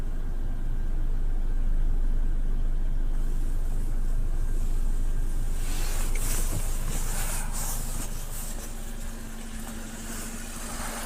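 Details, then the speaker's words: 2008 VW Golf 5 1.6 petrol after replacing spark plugs and gaskets, which fixed a cylinder-3 misfire and rpm jumping up to about 1000 at idle: a low, steady idle with an even beat and no hunting. The rpm is now stable. "Друзі Ну все пластівка на повном ходу тихенько гарненько працює обороти стабільні"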